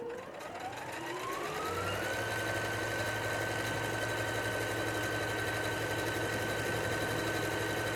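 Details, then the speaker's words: Singer SE9185 sewing and embroidery machine sewing automatic buttonhole number 1, started with the play button and the lever lowered: the motor whirr climbs smoothly in pitch over two seconds, then holds a steady, even hum. It sews normally. "Aperto aqui em play e a casinha vai começar a ser feita."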